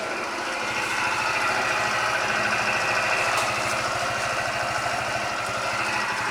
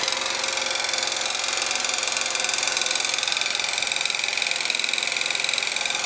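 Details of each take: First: Scooter after a new crankshaft and piston kit (0.04 mm piston clearance), with the defective piston (pin skewed from factory) replaced: steady, even idle with only light gear rustle and no ringing knock; fixed. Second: Scooter engine after replacing crankshaft, piston, cylinder (0.04 mm clearance), camshaft, chain, tensioners, variator; ignition and muffler checked: sharp ringing metallic knock about three times a second at idle.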